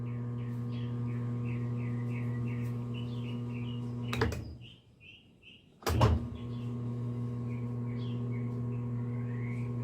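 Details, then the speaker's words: General Electric washer on drain-and-spin cycle: steady low motor hum that briefly cuts out and returns, but the drum never winds up or enters spin; timer not advancing, repair may need bearings, seal and timer check. "el exprimido ahí debiera de entrar ya el exprimido porque se oye la entrada del del motor sí se oye pero no está entrando"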